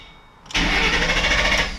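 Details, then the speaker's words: 2007 Ford Mustang GT 4.6L with fuel pump fuse 21 pulled to depressurize the fuel system before a fuel filter change: the starter whirs steadily with no firing, cranking without starting. "okay so now it shouldn't pump any more fuel if not you did the wrong excused so put the clutch in and then one two"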